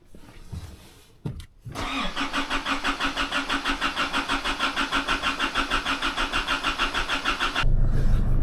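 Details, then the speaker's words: Holden Rodeo 4JJ1 3.0L diesel restarted after cleaning the carbon-packed, stuck-open EGR valve and choked intake manifold, adjusting valve clearances and bleeding the fuel lines: short crank, catches cleanly, even clatter at a smooth healthy idle; check engine light off, revving normally. "Alright, the engine light has gone off. Nice. That's sounding a lot better. And it's actually revving now, so I'll take it for a wee test drive."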